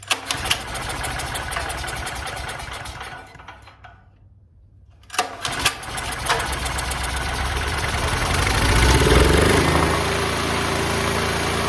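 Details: Duromax XP12000EH dual-fuel generator, neglected for years, electric start faulty (starter or solenoid) so pull-started: a few cranks, a quiet gap, then it catches and settles into a steady, even run; normal start and idle.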